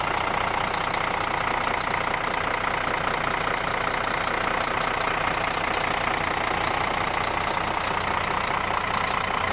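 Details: Scania D12 truck diesel at idle on its first start after an engine rebuild: steady, even clatter with no odd knocks, misses or surges. Running healthy.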